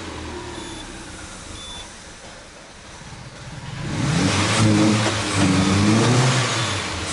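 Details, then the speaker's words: Peugeot 308 2.0 16-valve on 100% ethanol, cold and without a cold-start system, after clearing fault codes for an ECO-mode no-start: low steady hum, then smooth even rev rise with no misses or knocks. Idle has stabilized; normal cold running. "o carro tá frio nem a partir Depois de toda aquela bagunça né tá sempre cento no álcool e tá sem partida a frio ó ó mas já estabilizou a a beleza estabilizou"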